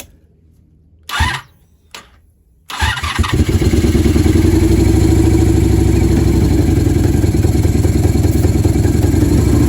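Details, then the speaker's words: 1987 Honda Super Magna with new battery and plugs: after two cranks, a lumpy uneven idle near stalling, kept alive only by choke and starting fluid. Fuel delivery issue suspected, possibly a dirty valve. "but she doesn't want to continue still have choke on and if I cut that it dies so run on starting fluid so that's where we're at guys might be this valve maybe the valve's dirty"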